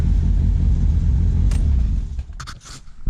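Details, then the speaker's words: Ford Sierra (Merkur) at idle with ignition timing completely out: deep uneven rumble with slight hiccup, running rich with fuel smell. "it runs a little rough it has a little hiccup kind of sounds like um and it's definitely running rich you smell gas"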